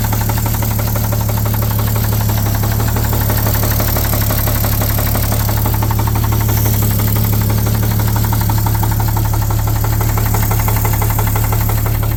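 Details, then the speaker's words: 1950 Chevrolet 3800 one-ton, Chevy 235 six, sat since 1977, with Lucas Oil Stabilizer at 60%: heavy regular knock about four times a second under idle; rod knock persists despite additive. "anybody out there is wondering Lucas Oil stabilizer will not fix a rod knock on your bited Chevy 235"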